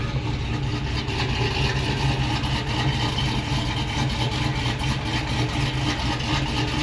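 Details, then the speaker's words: Tahoe V8 with performance cam and high-volume oil pump idling with a deep, loping, choppy beat a couple of times a second; otherwise smooth with good oil pressure, normal for the cam. "Idles really smooth. I mean, you can feel it has a cam. It's choppy, but good oil pressure."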